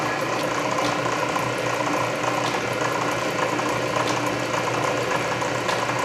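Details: Canedy Otto drill press at low speed drilling a large hole under power feed; main drive belt still slightly loose but gear reduction torque masks it; slow churning with feed-ratchet clicking about once a second — normal.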